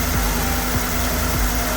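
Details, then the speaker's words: Salvage-auction Ford F150 Lariat with about 60,000–67,000 miles, first start after purchase: smooth, even low rumble with no knocks or ticks and a steady beat. Idles healthy. "it sounds like a truck this only has 60,000 miles on it sounds like that's a little bit surprised yeah sounds amazing"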